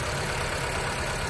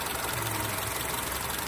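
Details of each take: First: 2007 Honda Civic with a misfire: pulling a good cylinder's ignition coil at idle makes the engine turn rough and sag as if about to stall, confirming that cylinder was firing; cylinders 1 and 4 good. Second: 2007 Honda Civic at idle after replacing the ignition coils for misfire codes P0300–P0304 and P0352: a steady, even idle with no stumble or shake, engine and tailpipe no longer shaking; normal idle.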